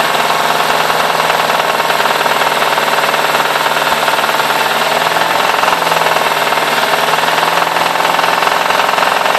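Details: BMW E60 550i V8: sharp metallic clacking over the engine note from about 2500 rpm as revs climb; source unknown.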